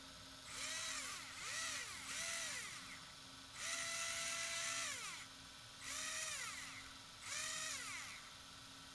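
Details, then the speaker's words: Arrma 4S BLX brushless RC motor after bearing replacement with Tekno 5x13x4 bearings: clean whine rises and falls with throttle bursts, no grinding or rasp; sounds different from before, rotor no longer very hot. Normal running. "oh yeah that sounds better yeah right off the bat it sounds different than last time so this is a good thing"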